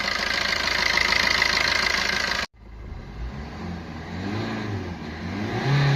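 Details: Maruti Ertiga engine at idle: fast, light metallic rattle riding over the idle and following engine speed. Abnormal engine noise attributed to a timing chain issue.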